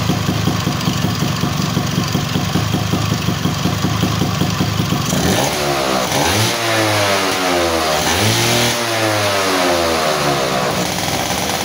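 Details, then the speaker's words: Two-stroke engine that kept flooding spark plugs, after the reed membrane was bent to seal and glued: steady crackly idle, then clean throttle blips with pitch rising and falling freely. Normal idle and rev; previously it would not rev. "eh motor udah enak kembali ya jadi tenaganya juga enak nih jadi di Udah Ee udah kedengaran ya jadi dari suaranya juga enak ya lepas gitu kan pas dia enak"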